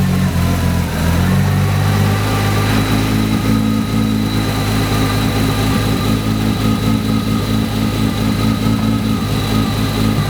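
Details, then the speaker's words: Nissan R32 GTR RB engine with high oil pressure and engine temps, revved: rough drone picks up sharp, uneven ticks and a rattle as revs rise; owner suspects a spun bearing. "so not sure if you could hear it but yeah as soon as I started raising the revs up it it was gone sir pretty sure she has spun a bearing"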